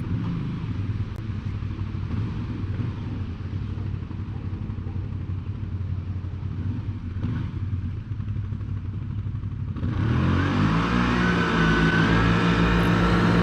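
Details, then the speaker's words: 2020 CFMOTO CForce 800 after an Airdam clutch kit install. Engine drone holds then climbs smoothly with no RPM dive after the first few feet, pulling hard at full load through mid-to-high range: strong steady rpm pull. "how it took out that dive in the RPMs after those first few feet it just pulls hard all the way food loads and mid to high range"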